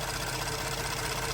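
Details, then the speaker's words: Ford F-150 EcoBoost, warm idle: fast, light sewing-machine ticking from high-pressure direct injectors, noisier like a diesel; cold lifter valvetrain tick has gone away, so normal. "Another source of noise is direct injection, injectors themselves. Direct injection technology injectors, they do make noise. They're much noisier, just like a diesel."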